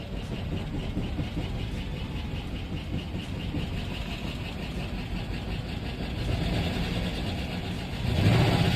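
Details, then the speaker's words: Car that stopped accelerating and shut off at speed, oil change done the day before with no oil refilled: deep uneven knocking about four times a second under rough running; rod knock from running without oil. "customer States the vehicle just stopped accelerating while driving down the road customer States they were driving fast when suddenly the car shut off now it only makes this noise this customer got an oil change yesterday and the shop forgot to put the oil back in it leading to this rod"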